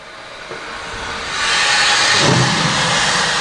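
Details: Refurbished Verteq 1800-6 spin rinse dryer: a loud, steady hiss swells in over about a second and holds evenly. This is the normal low-pressure nitrogen purge at the end of the cycle.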